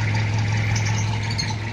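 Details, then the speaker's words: 1997 Toyota Kijang diesel after cylinder head repair, just started and still cold: an even, low diesel clatter at a steady idle with no misses, knocks or hunting; exhaust smoke is thin and normal, and it is ready for a test drive. "karena baru aja hidup dan untuk untuk asap Alhamdulillah tipis sudah enggak berasap dan normal"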